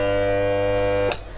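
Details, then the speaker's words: Stranger PBT 501 audio amplifier at power-on, overload indicator not lit: the speaker gives a steady, hard-edged buzzing beep that cuts off abruptly after about a second; amplifier fault. "तो, जब मैंने बिजली चालू की, तो आपने देखा कि हमारे स्पीकर से एक अलग तरह की बीप की आवाज आने लगी।"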